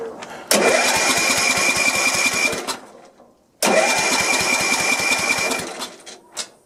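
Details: Sears LT1036 lawn tractor with a Tecumseh engine, unused for at least two years: two bursts of steady starter cranking, about two seconds each, with no firing or catch; turns over but won't start, and the spark is very weak.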